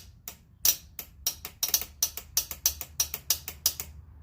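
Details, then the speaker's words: 49cc Pocket Ninja engine after teardown: rapid sharp starter solenoid clicks with no cranking despite 12 volts at the wire; the starter motor was probably damaged prying it off. "I'm getting a used dad and I'm getting 12 volts down here at the wire you can hear the solenoid clicking so starters toast"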